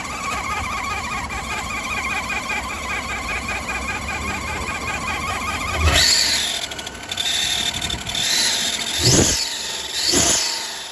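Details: Chevy Avalanche 5.3L engine running: busy, fast high chatter with sharp squeals and chirps coming and going over it; source of the noise not yet found.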